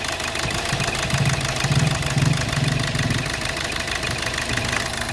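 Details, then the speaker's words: 2012 Hyundai Verna Fluidic: rough, uneven idle with heavy irregular knocking and engine shake as cylinder 3 misfires; the injector tested fine, and an ECM fault (low voltage on the injector circuit, open circuit) is blamed. "Engine ਦੀ ਜਿਹੜੀ ਨੋਕਿੰਗ ਆ ਤੁਸੀਂ ਦੇਖ ਰਹੇ ਹੋ ਜਿਹੜਾ engine Mount ਕਿਵੇਂ ਕਰ ਰਿਹਾ ਤੇ ਇਹਦੇ ਚ ਫਾਲਟ ਆ ਉਹ ਤਿੰਨ ਨੰਬਰ ਸਲਿੰਡਰ"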